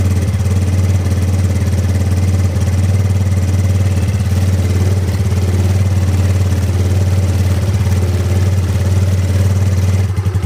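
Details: Ego LC 125 scooter after DIY service, started in the morning: a steady, low idle with an even beat and no knocks or rattles; normal idle.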